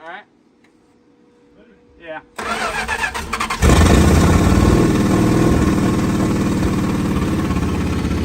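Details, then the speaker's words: 1968 Plymouth Fury barn find, 318 V8 with one-barrel carburetor, not run in over 20 years, started after the fuel filter checked clear: cranks, catches, then idles with an uneven stumble as cylinders miss. Two spark plugs are very rusty, one plug wire is stretched, and the coil is questioned. "it's missing a little bit I can something over I was missing really good yeah but these plugs are there's two really rusty ones"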